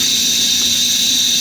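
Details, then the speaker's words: Compressed air leaking with a loud steady high-pitched hiss at the air regulator, no engine running; it started leaking again, and turning the regulator didn't help. "sounds like it's definitely leaking right in here though I don't know it's weird"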